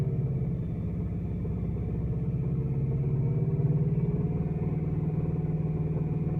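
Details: Engine after VAC bearings install: a low, even beat around four a second with a dull knock in each cycle; a rod bearing is suspected, not confirmed.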